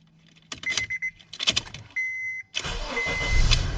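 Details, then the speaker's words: 2006 Honda Accord 2.4 four-cylinder after replacing the ignition switch's electrical part: a few quick cranking bursts, then the engine catches promptly and settles into a steady run; normal cranking and start. "There it is. As you can see there, it starts without any problems and without failing even once."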